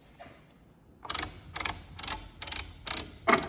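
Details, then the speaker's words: Incra 32-inch LS Positioner, carriage not engaged, lead screw tension finger-tight: uneven scraping creaks about twice a second as the screw is turned by hand, binding and rubbing each rotation; the lead screw was not straight, fixed by replacing the arm assembly. "sure i get my hand in a better spot you'll hear it bind or the lead screw behind right there there each time you rotate and that's without even having this engaged"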